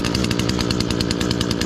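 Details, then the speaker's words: Echo SRM-225 two-stroke weed trimmer run after removing a clogged spark arrester screen (temporary test): crisp rapid buzz at steady high revs, clean even firing, no bogging; normal running, sounds better already. "it already sounds better it sounds better already"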